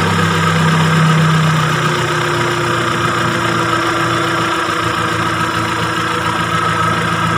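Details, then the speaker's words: Timor DOHC (Kia Sephia S515i) injected engine while setting the CO potentiometer: steady even idle, smooth low hum with no misses; mixture raised from lean point until the engine sounds normal, most economical setting. "Nah, setelah ini kita tinggal menaikkan hanya sampai suara mesin terdengar normal."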